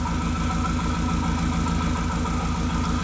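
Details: 2001 VW Jetta Wolfsburg 1.8T, previously tampered harness: lumpy idle with one cylinder dropping out a couple of times a second; cylinder 2 misfire persists after swapping coils and plugs with cylinder 1; cylinders 3 coils suspected wired incorrectly, cylinder 3 since cleared.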